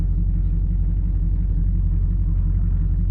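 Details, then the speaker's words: 1991 GMC Suburban R1500, 5.7L (350) TBI, idling after IAC valve replacement and relearn; even rumble holding steady with no hunting or dips; no near-stall after over a minute, so it is assumed fixed. "Well, it's been over a minute and it still hasn't done it, so I'm assuming it's fixed."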